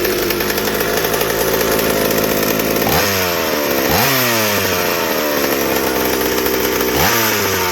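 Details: McCulloch 790 chainsaw frame with MC101 kart engine, new header and pipe, 3D-printed carb adaptor: high screaming note repeatedly sagging and climbing back at full throttle; won't four-stroke, carb can't dump enough fuel at high speed, lean fuel starvation.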